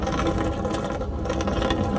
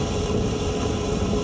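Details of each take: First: AC condensate drain line that was full of water, being vacuumed without added pressure, sludge pulled off the pipe walls. Steady vacuum roar with rattling, gurgling bursts as gunk is sucked from the clogged line, which is beginning to loosen. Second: AC condensate drain line after about 20 minutes of vacuuming and roughly 3 gallons of water flushed through, clear water now coming out. Steady, even vacuum roar with no gurgling, choking or sputtering; drain is clear and pulling water freely.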